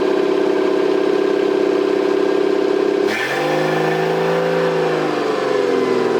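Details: Toyota 7M-GTE straight-six (MA70 build) after a four-month rebuild, running with no exhaust fitted and intercooler piping bypassed, no idle air control valve. Loud raspy unmuffled idle, a sharp throttle blip around three seconds that rises and settles cleanly; normal running.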